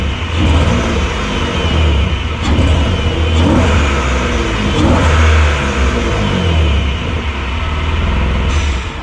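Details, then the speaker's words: Semi-cold BMW E36 in snow: engine revs under load but pull keeps dipping and stumbling, power cutting in and out, only pulls to about 2,500 rpm, hesitation easing as it warms; misfire fixed by tune-up. "there is a lot of hesitation which can be heard in the video as well as it just cuts off power"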